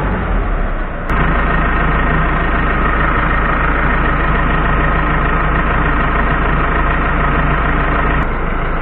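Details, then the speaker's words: Ford F-100 with Cummins ISBe diesel, power loss, flashing check engine and code 723-2: loud steady clatter at idle; suspected wear in the gear-driven timing at the rear of the engine, not confirmed. "entonces si escuchamos y se escucha tiene un ruido fuerte en la parte de atrás que sería la distribución de este motor Cummins"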